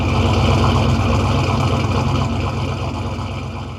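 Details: Turbo Foxbody Mustang, microphone at the exhaust, after rewiring the starter solenoid trigger through a relay to stop it blowing the 10 amp fuse: deep lumpy exhaust burble at steady idle, settling slightly, no misses or knocks; running healthy.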